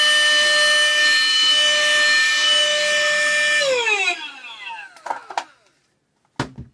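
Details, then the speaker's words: USB-C rechargeable handheld desktop vacuum cleaner, reassembled after a teardown, picking up debris through its nozzle. Even, steady high motor whine, then winds down when switched off. It turned out not to be broken and now works normally. "The Hoover is fixed. I've got no idea how I fixed it, but it's fixed."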